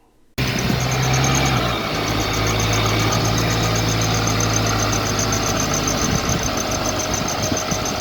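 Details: 2018 car at idle: thin, high-pitched pulsing whistle over the hum from under the bonnet, getting louder as revs rise; squealing, slipping alternator/accessory belt.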